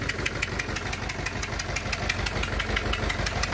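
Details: Renault Clio 2 1.5 dCi diesel idling unevenly, with a sharp regular ticking about twice a second over the clatter; two leaking injector seals are blowing compression.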